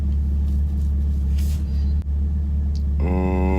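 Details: Camaro LS3 V8 after repairing MAF harness chafed on power steering pulley that blew a fuse (aftermarket AEM intake): deep, steady idle, no tapping or misfire, rising tone near end; fuel pump control module code remains. Normal idle after repair.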